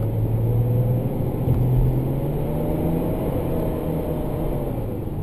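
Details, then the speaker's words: Range Rover L322 TD6 at 447,100 km, warmed up and accelerating in regular Drive: revs flare suddenly to 3000–4000 rpm without the pull picking up; automatic gearbox slipping. "Long story short it is still working, but its slipping more than it should and I have to change the gears manually. Because if I let it in the regular Drive mode then after warming up and accelerating, the revs suddenly jump up to 3000 or 4000 rpm like this"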